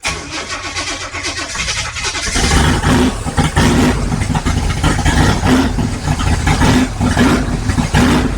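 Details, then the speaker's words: 1955 Chevrolet big-block V8 on first start, warming up: catches and revs, idles around 1000 RPM then lumpy, sagging and dying; owner thinks it may need more timing. Cause suspected, not confirmed. "it'll thats pretty good so it wants to idle like a th000 RPM there but then it kind of dies so to sco more timing maybe"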